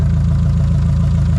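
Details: 1976 VW Kombi air-cooled engine running after wiggling loose wiring amid electrical faults, cause of intermittent cut-out unknown: steady, even low thrum with regular pulse, no misses or stumbles; normal idle.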